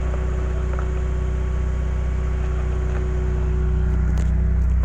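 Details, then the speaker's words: Car idling after new spark plugs fitted: steady, even low idle hum, smoother than before when it used to rattle on start-up, no rattle or misfire stumble; normal idle. "it sounds a little bit more smoother. Like before, I would start it and it would be like rattling"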